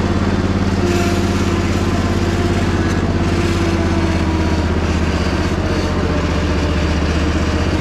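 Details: Crusty Poulan Pro zero-turn, driven in the rain with the deck spinning: a steady, even engine drone with no knocks or grinding, and the spindles are quiet. Normal running.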